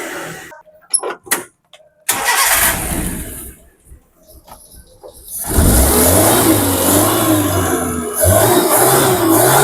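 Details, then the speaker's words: Suzuki Carry 1.0 with points ignition, after fixing an intermittent stalling problem: clunks from handling, then low, steady, even idle with no misfires; carburettor stays cool to touch; normal idle. "Oke, Lur. Suarane kemenyus banget. Adem banget sampai karburatornya pun dingin ya, Lur. Adem, Lur. Kalau karburator sampai dipegang itu dingin, berarti bagus itu, Lur. Ini suaranya nyus banget."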